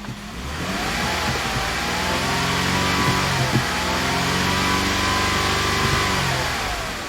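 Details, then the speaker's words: 2005 Ford Freestyle 3.0L after misfire repair, engine revving: smooth even steady note with no stumbles; scan tool shows zero misfire counts, misfire fixed. "so the vehicle runs really smoothly and as you can see we no longer have misfire counts"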